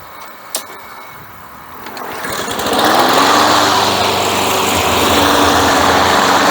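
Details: Craftsman Platinum mower after a carburetor rebuild and a new recoil, drive belt and blade: the small engine catches and climbs to a steady, even buzz that holds speed without surging or misses; it runs healthy.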